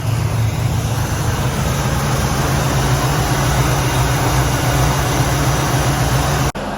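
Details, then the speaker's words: 1967 Pontiac Firebird with a Pontiac 455 V8, after the wobbling loose power steering pump pulley was tightened and the belt refitted: steady, deep idle rumble, previous rattle/tick gone. "so i tightened up the pulley put the belt back on noise is gone"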